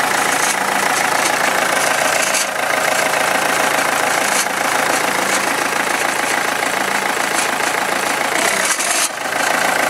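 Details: Renault Megane II at idle: a fast, fairly even tapping rides over the idle, roughly three per second; an engine knock of unknown source.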